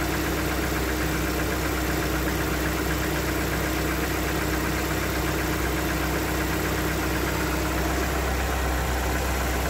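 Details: Lada Xray 1.6 VAZ 21129 engine idling: busy idle with dull uneven knocking mixed in, steady throughout; internal knock of unclear origin, owner asks how dangerous.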